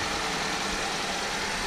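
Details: Idle while coolant is being filled, with a new belt fitted, water pump and tensioner working, and coolant additive plus demineralized water added. Even, smooth idle with a steady hiss and no knocks or belt squeal; engine idling normally.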